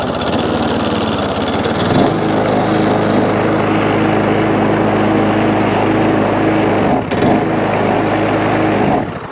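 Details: Job-lot Tecumseh single-cylinder lawnmower, primed, with compression and a dead-man throttle: catches after two seconds and runs at a steady, even buzz with one brief dip before shutting off, running fine, though a fuel leak is noted.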